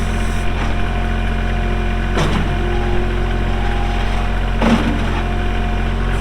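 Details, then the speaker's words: Kubota L3240 4WD tractor, pre-emissions 32 hp diesel, 94 hours, gear drive. It starts and runs very well, with a steady, even idle and a smooth low thrum, no knocks or misses; normal idle. "Does start up and run very, very good."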